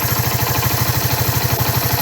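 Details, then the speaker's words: 1994 Suzuki GN125 after carburettor clean, idling about 1500 rpm before the choke is turned down: even thumping, about twelve beats a second, no stumbles or misses; clean, steady idle. "there you go about 1500 rpm let's just have a look at that choke"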